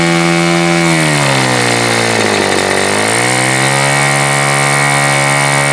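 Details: Super Tigre G4500 glow engine, first run, before low-speed needle adjustment: high buzzing tone sags sharply in pitch for a second, then recovers to steady; stumbling idle, owner suspects it is a little rich on the low end.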